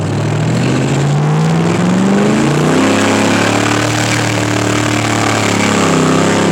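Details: FWD Lincoln with a rebuilt but unsuccessful automatic transmission, running only with the MAF sensor unplugged. Under hard throttle the engine pitch climbs and flares with no firm shift catching it, like a boat: the transmission is slipping.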